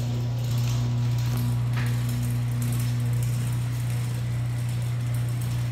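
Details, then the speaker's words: Genie ProMax 1/3 HP chain-drive garage door opener run with door disconnected: low, even, quiet hum with no knocks or grinding, quieter than a screw-drive opener; motor runs smoothly. "you can see the motor it's always actually pretty quiet on this actually it's not a loud machine at all but which way it is but it's quieter quieter than you have a screwdriver"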